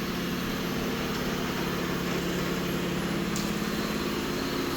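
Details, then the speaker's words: Hot caustic keg wash, air purge stage: steady rush of air with a low humming tone on top, the harmonizing showing the kegs are empty and evacuated; normal keg wash air purge. "So now it's harmonizing which means that they are empty and evacuated."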